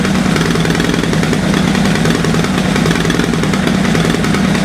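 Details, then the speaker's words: Triumph GS-project motorcycle, first start after sitting a long time, warming up: loud, busy idle with a ragged, fluttering beat like a cylinder dropping in and out; fires when revved but not on tickover, suspected fuel starvation, possibly a sticky carburetor. "but it's it's cluttering your fluttering and obviously it's not getting fuel when you're ready it gets fuel here it disappears"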